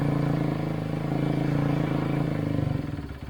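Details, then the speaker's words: 2011 Kawasaki KX250F single, kick-started after an idle-issue repair. Slow, lumpy idle of about four beats a second that sags near the end. Idle adjuster is fully out and idle is still too low. "she's definitely idling this is much better than it was however I've got this adjuster absolutely all the way out as far as it can go and it's still just a tick too low"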